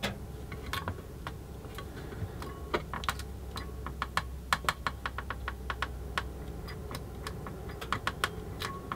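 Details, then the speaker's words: Eaton AFDD (arc fault detection device) test: rapid, uneven sharp snaps and crackles over a low hum as a switch contact arcs under load; the device trips only after considerable arcing effort. "so would you may have heard there's quite a bit of arcing going on there"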